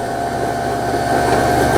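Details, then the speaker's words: Old Brother 6050 sewing machine after repair (bobbin case replaced, broken horizontal spool pin rebuilt), winding a bobbin via pedal; fast, steady whirring hum at even pitch with no scraping or catching, the bobbin winder working well. "우리가 북토리에 실을 북토리를 북실 감기 장치에 끼워주고 페달을 밟아서 왱 하고 아래 위로 누워있는 이 북실 감기 장치를 제가 만들었더니 상태가 아주 좋습니다. 잘 만들어졌네요."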